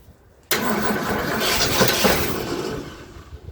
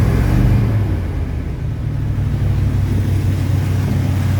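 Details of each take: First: 1977 Ford F-250 Dentside 4WD pickup, revived after sitting 15+ years, cranked on starting fluid: catches with a rough roar for about two seconds, then fades out and won't keep running. It is fuel-starved, and a ticking or knocking was already suspected. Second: 1977 Ford F-250 Dentside 4WD V8, revived after sitting 15+ years, after its fuel pump was repaired. A deep, steady rumble holding an even idle, a little rough in tone, but running fine on its own.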